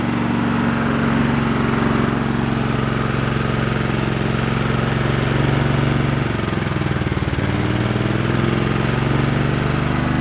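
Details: Twin-cylinder engine after a spark check and refitting plug wires, started on choke, one cylinder unrun for a while: firm regular putting at about four beats a second with a brief dip and recovery, so both cylinders are firing while burning off deposits.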